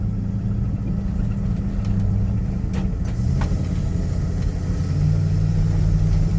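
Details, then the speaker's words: Magnum engine truck road test under load after cleaning injectors that had misfired two cylinders: deep even drone, no stumble or shudder; all cylinders firing, good power. "so far so good r r really really good actually the Magnum engines have uh pretty good power actually"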